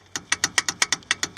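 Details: Chevy Astro brakes, pads replaced about 3 weeks earlier, loose in the caliper on both sides: sharp, tinny clicks about six per second; brake pad rattle, fixed by bending the pad clips to reduce movement.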